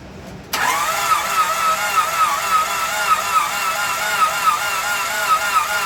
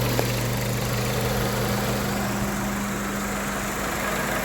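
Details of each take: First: 1998 Honda Civic with a replacement engine swapped in after a rod bearing failure, crank sensor hooked up and timing set: even starter cranking, about four turns a second for seven seconds, never catches; no spark because the distributor isn't hooked up. Owner also suspects low compression. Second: 1998 Honda Civic with replacement engine after rod bearing failure: steady quiet idle, even low hum, no knocks, ticks or misses, like a sewing machine; normal idle.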